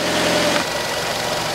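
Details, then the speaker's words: 2012 Nissan Qashqai 2.0 petrol after spark plug replacement (NGK PLZKAR6A-11), started with engine cover off; raised fast idle as on warm-up, steady even hum, no knocks or misses; normal cold-start fast idle. "запускаю двигатель [музыка] имелся сразу обороты повышенная как на прогреве в стаде"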